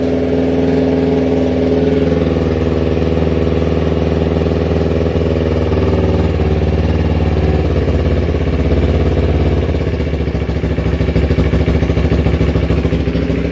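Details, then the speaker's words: 2010 Kawasaki Ninja 250R after no-spark repair and flood restoration, spark now on both cylinders: twin runs with an uneven patter, breaking up after ten seconds as fuel runs short because the fuel was shut off; still stumbling. "Oh yeah. Still stumbling a little bit. I gotta turn the gas back on. I shut the gas off, so go ahead and just turn that back on now."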